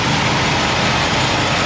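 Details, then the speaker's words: 4.3L Vortec V6 in a 1983 Pontiac Grand Prix, Edelbrock 1403 intake, vacuum advance moved from ported to manifold vacuum: steady, smooth fast idle with even rumble, no misfires; runs fine, idle set too high. "now listen to it now she's really happy but she's running really really fast now now that we've got that advanced back"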